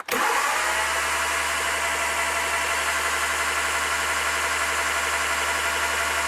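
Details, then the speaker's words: MKIII Triumph Spitfire after new valves and brass valve guides, cranked for a compression test with plugs out and carburettor off: smooth, even starter whir with no compression pulses; normal cranking with plugs out. "so while the plugs are out i'm gonna spin her around and get her pressure up"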